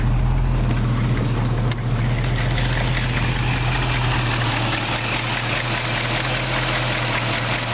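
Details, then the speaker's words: 1970 Mustang Fastback, 351 Cleveland four-barrel, hood up at idle with rebuilt AC compressor engaged and blowing cold: steady even idle, no knock, squeal or grinding; normal AC compressor operation. "now you can see the compressor is going and it does blow cold I mean it blows cold"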